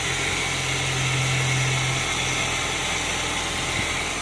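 Idle with a low steady drone and a slightly uneven, loping pulse underneath, about four a second; sounds like an idle misfire.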